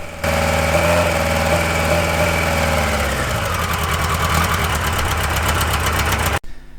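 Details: Engine cold-started on choke with injection being tuned, ignition timing checked fine by strobe; uneven, stumbling, lumpy idle, misfire running on three cylinders from a cracked spark plug.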